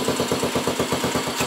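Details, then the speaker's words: Skua 150 single-cylinder motorcycle idling after valve adjustment: even steady putter about nine beats a second, normal wear noise but no valve tick; clean healthy idle. "Aunque tiene ese ruido normal de uso pero después no tiene ruido válvula nada así que está"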